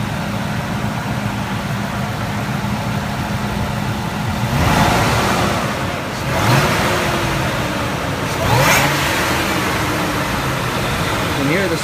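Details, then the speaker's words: 2000 Ford SVT Lightning supercharged V8, started in neutral, heard from outside: steady deep idle with clean throttle blips and faint blower whine on revs; sounds normal, good and strong. "hopefully you can hear it all right sounds normal sounds good sounds"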